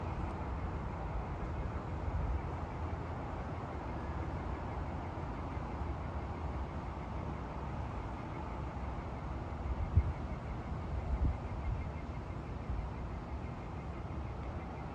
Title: Noise from the PAL engine room - fan making a loud noise